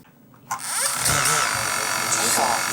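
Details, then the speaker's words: DJI Mavic Mini drone, one motor knocking since a propeller change while the other motors run silent: high motor whine with an uneven scraping tick. Excess threadlocker is rubbing inside the brushless motor. "слышите звук у такого звука не должно быть и этот звук издает вот этот двигатель"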